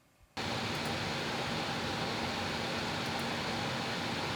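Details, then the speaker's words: Stock Corsair PC radiator fans alone, other case fans off: a steady, loud rushing whoosh with a faint hum, no ticking or rattle, reading about 52–60 dB; the loud radiator fans are simply noisy. "Okay, so you can tell it's really loud. Let's see what levels it's coming out at right now."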